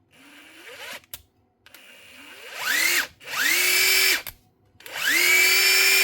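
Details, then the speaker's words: Metabo SSD 18 LTX 200 BL 18V impact driver, older and rusted, on a borrowed battery: repeated bursts where the motor whines up to a steady high pitch and holds. The gearbox was stiff from rust but seems to have freed itself up. "She's well rusted up as well. It's very stiff."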